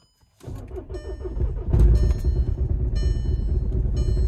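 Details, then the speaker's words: VW Mark 6 diesel (TDI) with crooked, misaligned dogbone mount stiffener insert: normal idle rpm but deep uneven low drumming and dull thuds as something hits the firewall. "like the idle is normal but it just sounds like you could see the RPMs they're not going up but something is just like hitting the firewall"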